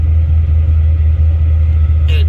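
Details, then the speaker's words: LS1 V8 with a high-idle problem suspected from the TPS, whose voltage and percentage changed. Restarted after a drive; deep, even rumble settling to a normal idle around 1,000 rpm, no hunting or misses. "It'll settle in a second. Yeah, there it goes. It's settled down to about normal, around that 1,000 mark."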